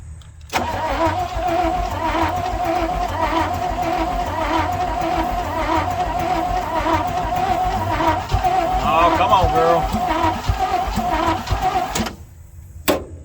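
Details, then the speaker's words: 1967 Chevrolet C50 truck parked about nine years, gasoline poured down the carburetor, new accelerator pump barely squirting: long steady cranking with about two chugs a second and weak catches that never fire; cranks but won't start. "it sounded like you wanted to just a little bit all right let's try it again oh girl come on she wants to i believe she's gonna oh come on"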